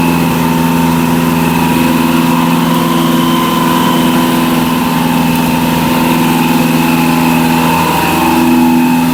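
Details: Barn-find Zastava 850 (often mistaken for a Fiat 600), small petrol engine, running after long storage, a coil change, points adjustment and a stuck-open throttle: steady, even idle with a smooth hum and no knocks or misses.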